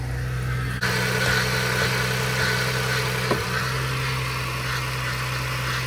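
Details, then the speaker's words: Vehicle idling right after a jump start following repairs: steady low hum with faint, irregular ticks under the hood; abnormal idle noise, source not yet found. "She's running. She's on. She's alive. But I don't know what that sound is."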